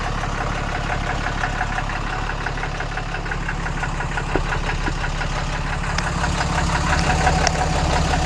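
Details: Steady, even diesel clatter at idle with a firm low rumble, no misses or knocks, on a 2014 6.7 Cummins after installing a CAT 1R-0750 fuel filter and new filter housing; fuel pressure about 10–11 PSI, checking for leaks.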